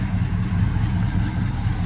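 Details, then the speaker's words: 1970 Pontiac GTO V8 with dual exhaust, first start in years after pumping bad gas from the tank: deep steady burble, even low rumble, no knocks or misses; purring, good for a first start. Normal idle. "all right here we go he cranked right up he's running she's just sitting here purring looking good not bad for a first start"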